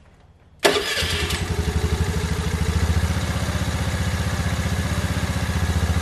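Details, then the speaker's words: 2022 Honda Navi 110 first start after MNNTHBX intake and crankcase filter install, about 45°F, full choke: catches within a second, steady quick single-cylinder putter, even beats, no knock, changed induction noise; normal cold start. "going to let the bike warm up but already i can definitely hear the uh tell the difference in the induction noise"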